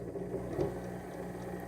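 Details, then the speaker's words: Sewing machine motor on a Sailrite Worker B 100-230V power pack, powered by an EcoFlow self-contained 110V battery system. A low hum surges and sags unevenly instead of holding steady; the motor hesitates from a power delivery issue. "so we're on okay clearly there's a power issue it's working but you can hear real hesitation and the way the power is delivered to the machine and the"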